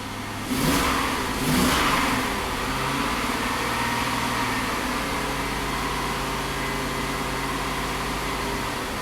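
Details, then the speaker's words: 2001 GMC Sierra V8, reluctant to start, running rich in closed loop: two throttle blips, then an uneven lumpy idle, not firing on all cylinders; bank 1 cylinders misfire and drop out under load after repeated part swaps. "I mean, it responds, but definitely not running on all cylinders. Yeah, and it smells real. It smells real rich."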